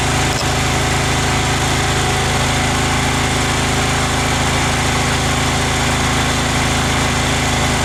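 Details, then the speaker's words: Craftsman FS 5500 lawn tractor after its carburetor was cleaned, mowing: a steady engine drone with constant pitch and no surging or hunting; it runs well and has quit surging. "I got the front mode pretty good. It's running pretty good now. Quit surging."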